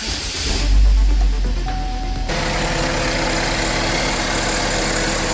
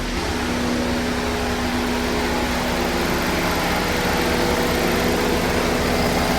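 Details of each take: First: 2013 Chevrolet Equinox 2.4 L at start-up and idle: engine catches, then a light metallic rattle over the idle; cam/crank position performance codes stored, timing chain rattle. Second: 2013 Chevrolet Equinox 2.4 L Ecotec after timing chain replacement and oil change, first start: smooth even idle with steady low hum, no ticking or rattle; healthy.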